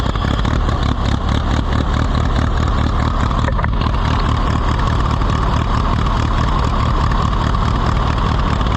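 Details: Allis-Chalmers WD tractor, possibly with a WD45 engine, first start attempt: uneven chugging, stumbling and surging with no steady idle. Rough running; a carburetor or fuel-mixture problem is suspected.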